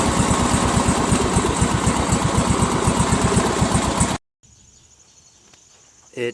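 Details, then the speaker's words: Craftsman LT1000 lawn tractor, 21HP Briggs opposed twin; lopsided loping putt about four beats a second, firing on one cylinder only; inspection showed no connecting rod attached to the crankshaft on one side. "I betcha that's a connecting rod that's probably why this is not working"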